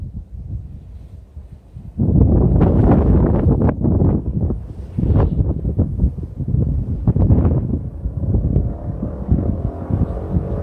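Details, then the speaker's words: Vehicle with an aftermarket pipe making high-speed passes by the camera in a canyon. Heavy wind roar, then sharp .22-gunshot-like cracks when the throttle is released. Exhaust popping on deceleration, which the owner blames on the baffle. "when I go flying by the camera, you will notice as I let off the throttle, it sounds like gunshots because of the baffle."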